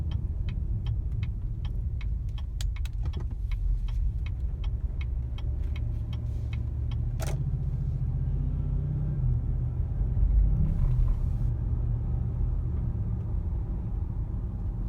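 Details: 2015 Cadillac Escalade while driving: a deep rumble with quick ticking and a shudder, like rolling over small bumps or not shifting properly. Owner suspects transmission or engine; dealer calls it a known issue.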